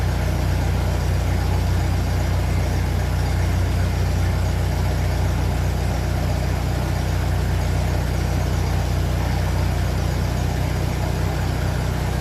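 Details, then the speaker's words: 1957 Ferguson 35 TVO tractor idling on petrol just after starting, before warm-up, with rocker shaft replaced after inlet clearances had grown large; steady, even low thrum with no ticking, quiet valve gear; normal idle. "so that sounds lovely in quiet it did sound like this before with the last Rock shaft and then it slowly start getting loud so I'm going to get this warmed up"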